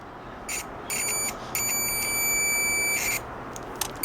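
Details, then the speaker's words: Cheap Chinese multimeter on continuity setting: thin, high beeps in irregular bursts from its original small on-board buzzer, audible but too weak; it is to be replaced with a microwave-oven board buzzer. "vamos a escuchar aquí el este multímetro quea trae su bocinita original su boer sí se escucha pero no como a mí me"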